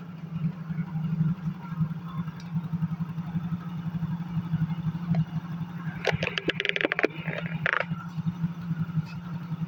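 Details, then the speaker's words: Yamaha Mio GT scooter brought in for not starting: it starts only by kicking and idles low and unevenly, with blips that pick up reluctantly and heavy pull; the mechanic blames insufficient fuel pump pressure. "Nah, ini ada agak berat tarikannya dikarenakan rotaknya kurang tekanannya ya, tekanan pulpamnya kurang mencukupi."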